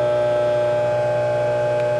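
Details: Scotsman UN324 ice machine just switched to clean mode: steady, even auger motor drone with a firm constant whine, reservoir showing no water activity yet; auger drive turning normally.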